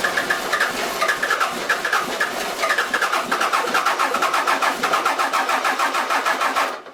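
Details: Toyota 3B 3.4L naturally aspirated diesel from a 1981 BJ60 Land Cruiser, sitting six to seven years, started on glow plugs with air bubbles still in the fuel: even, steady diesel clatter, runs smoothly.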